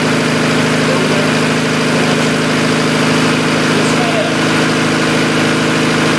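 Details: 1990 Honda CRX DX: a steady, fairly high idle with an even drone. A vacuum leak is suspected of causing the fast idle and poor fuel mileage; a smoke test found a hiss near the brake booster, but the exact spot is unconfirmed.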